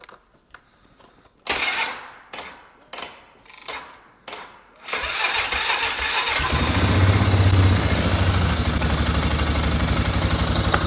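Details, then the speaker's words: 2007 Polaris Sportsman 500 ATV, long parked non-starter, after used fuel pump replacement: about five cranks, then catches and settles to a steady even idle with no misses or knocks; sounds healthy. "there she goes this thing will run like [ __ ] without this on there about to start losing stuff sounds good sounds healthy"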